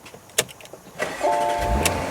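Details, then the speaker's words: 2021 Porsche Macan, 84,680 miles, brake wear light staying on: starter turns briefly, engine catches at once into smooth even idle; normal start and idle. "So, as you can hear, the engine is running."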